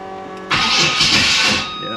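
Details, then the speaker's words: 1987 Monte Carlo SS small-block cranks with a harsh, high-pitched rasp lasting about a second, an ugly start. The distributor's mechanical advance weights were just refitted after being locked out; the starter is fighting ignition timing set too far advanced. "yeah see I don't really like that start"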